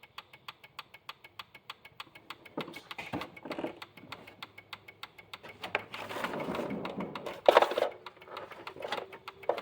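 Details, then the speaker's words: 1986 Honda Gold Wing GL1200 SE-I, sat 9 years, ignition on, engine not running, no start: sharp even relay clicking about four per second from the rear while rear lights flash; cause unknown. "There's a relay clicking back here, but I don't know what's up with that."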